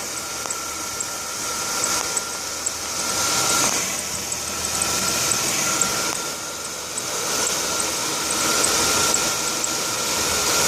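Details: Chrysler Concorde engine running with a steady, thin squeal from a slipping serpentine belt.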